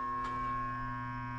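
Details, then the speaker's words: Daikin/McQuay two-pipe fan coil unit not heating: contactor pulls in and the fan motor hums steadily without spinning up; the shaft is very tight, motor seized. "you know what I realized this fan the shaft is freaking so tight this thing is probably bad"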